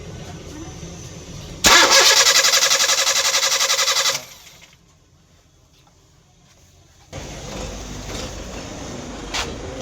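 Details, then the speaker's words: 2014 Honda City that died while driving, check engine light on; fuel supply confirmed but no coil current or pulse. Starter cranks about four turns a second for two seconds and never catches: crank no start, no ignition from a blown main fuse. "इसका फ्यूल आ रहा था दोस्तों, हमने चेक किया आपके सामने। उसके बाद इसका जो कोयल का करंट है वो नहीं आ रहा, जो पल्स है वो नहीं आ रहा। इसका चेक करते हैं, इसका फ्यूज़ ना जल गया हो।"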